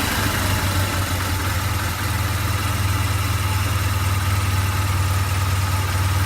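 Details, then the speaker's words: 2008 BMW R1200GS Adventure, 26k miles, fully warm after about 15 minutes of idling: low, uneven, lurching idle before it dies; it won't restart until cooled; owner suspects a heat-related cause, still unknown. "I might start it might start one more time but then it won't even start after that unless like until I let it cool down which maybe tells me it's heat related"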